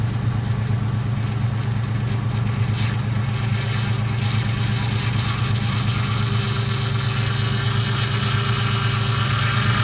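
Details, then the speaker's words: Ford Mustang GT V8 idling just after start while bleeding power steering: steady rumble with a thin whine that grows after running a second; owner believes an air bubble trapped in the pump, which turning wheels lock to lock can often work out. "so you can see that the pump started to make even more noise after it was running for a second and a lot of times I believe that's an air bubble that's trapped in there"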